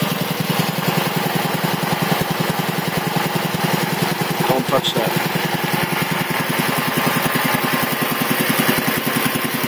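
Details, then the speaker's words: 1975 Quincy QR 325 compressor, converted from 3-phase to a GE 5HP single-phase motor, smaller pulley, pump at 621 rpm; steady, rapid, even piston thump while building pressure. Runs nice and quiet, normal. "surprisingly enough it still runs very very nice and quiet so actually probably choir then maybe it originally did but still builds up pressure pretty quick"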